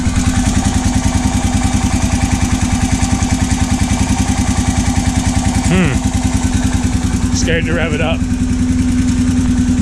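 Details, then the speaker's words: Honda 650 of unknown year, brought in as non-running, fuel drained: idles with a regular knock about 2.5 times a second over the exhaust beat, comes and goes, slight smoke; crank or piston slap suspected, possibly water ingestion, unconfirmed. "that don't sound good what the hell that's not good at all sounds like it's the crank the Piston's got a ton of slap"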